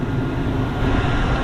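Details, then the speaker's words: 2001 Chevrolet Tahoe LT 4WD, 5.3L Vortec V8, 43k original miles, one owner: starts up great into a smooth, deep, steady idle rumble with no ticking, clacking or smoke and no check engine lights; engine healthy. "Engine sounds amazing. Starts up great. No ticking, no clacking, no bad sounds of any kind."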